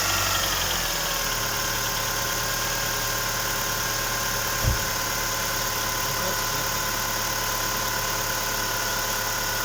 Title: Стук гидрокомпенсаторов Ховер Н5 2.4 бензин